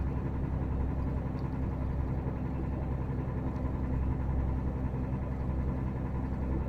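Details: VDL Berkhof bus with DAF diesel idling: a dull, loosely regular knock about 130 a minute under the rumble; owner unsure whether rod knock or piston slap.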